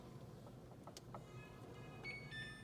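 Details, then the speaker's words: Samsung RF267AERS refrigerator being fixed for not freezing after its iced-up freezer was thawed with a heat gun: after a quiet stretch, a short thin beep sounds over a low hum as the panel acknowledges the restart button. "See, it beeped from the outside."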